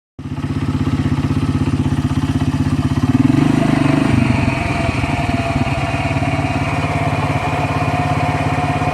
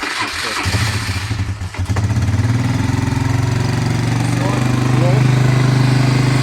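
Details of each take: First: ATV idles with a dry rustling whir (shuršanie) over the engine beat from its CVT (variator), a sound not heard before. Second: ATV CVT variator after replacing a failed bearing, cover on three bolts: engine cranks, catches and settles to a steady, even idle with the earlier rustling gone.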